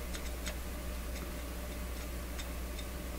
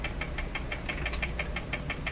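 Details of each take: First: Clairtone console stereo record changer mid-troubleshooting: soft irregular ticks over a low hum as the record drops and the tonearm swings over and lowers. The cycle is working normally, though it needs more lubrication. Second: Clairtone console stereo record changer running at a different speed: about six even ticks per second over a low hum as something underneath interferes, possibly a part knocking against the gears, cause unknown.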